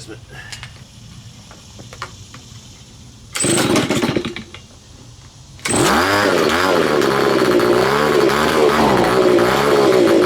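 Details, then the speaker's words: Neglected Stihl BG55 leaf blower, first start after cleaning, choked: fires, then runs with a high buzzy note that keeps wavering instead of holding steady; rough-running two-stroke, carburetor needs adjustment. "I want to have the screwdriver ready to adjust [Music] oh yeah gonna need adjustment"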